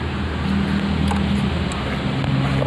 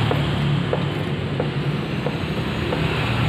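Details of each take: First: Motorcycle after tightening a loose steering head (komstir): steady low idle hum while the front end is rocked, with no knock or clunk coming through. The earlier clunking is gone and the steering head is now tight. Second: Motorcycle front end rocked with the front brake applied: dull single clunks about every half second from a loose steering head bearing, before adjusting the top locknut.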